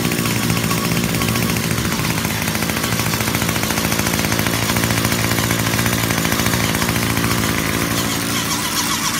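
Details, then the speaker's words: 2019 Hyper Tough H2520 25cc straight-shaft two-stroke trimmer, started after sitting three years with fuel in tank: harsh, buzzy, ragged running at steady high speed; sounds terrible, cause unclear. "sounds terrible what's going on must just be the nature of the you know they just put a little I don't know if there's a gear in there"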